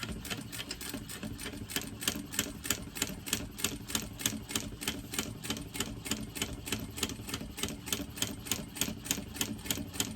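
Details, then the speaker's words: Sewing machine stitching tote webbing with the zipper foot still fitted. Sharp, even clacking about three times a second with every stitch, harsher than its usual hum; the machine never used to make this noise. Owner wonders about removing the zipper foot; cause unclear. "I'm not sure why my machine is making that noise. Never used to make that noise."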